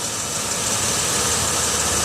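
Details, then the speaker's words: 2006 Chevy Uplander wheelchair-accessible van, 175k miles: a steady, even idle under heavy hiss with no knocks, ticks or hunting, and no visible leaks. Normal, smooth idle. "let's listen to it run listen to it run s just fine"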